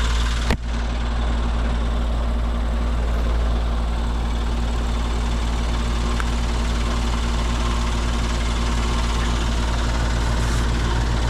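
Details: Old condenser that wasn't running on a call for cooling: single click as the contactor pulls in, then steady even low hum with no knocking or rattle as it settles; sounds normal.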